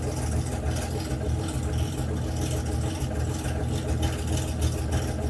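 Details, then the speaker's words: Debonair engine during restoration, running with choke applied; steady, even low rumble with no misses, knocks or hunting, best it has ever run. Normal running. "We gave it some choke and it's never run that well before."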